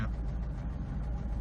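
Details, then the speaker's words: Honda S2000 cold start after sitting about a week: low, even idle that settles quickly to good idle rpm, no fluttering or sputtering, good compression; normal idle, though transmission rattle and half-engaged clutch suspected. "It already goes down to the, you know, good idling RPM pretty quick. No fluttering, no sputtering, nothing."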